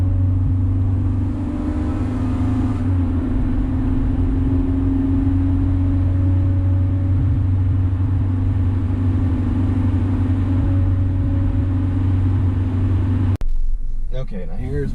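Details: 2000 Honda Civic, eBay header, test pipe with cat removed, OE piping, OE resonator and OE-style muffler, before adding a resonator: low rumble thickening into a coarse raspy drone as revs climb, raspy above 2,800 rpm. Raspy exhaust drone.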